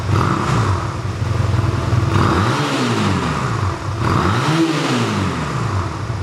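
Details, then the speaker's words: 1985 Honda Rebel single-cylinder with only 2000 miles, first start after about 17 years stored, running on reserve fuel while warming up: steady idle with clean, crisp revs rising and falling smoothly, no knocks or misses; healthy normal idle and revving. "Sounds great, huh?"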